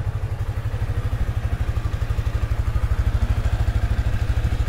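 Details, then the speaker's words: Sniper 155 motorcycle idling about a minute after an oil change with Shell Advance Long Ride oil and a new oil filter: low, even thump about three beats a second, no ticking or rattles; no unusual noise, engine healthy. "Siyempre, pakinggan natin kung meron siyang kakaibang tunog. Wala naman. Siguro 1 minute na ganyan."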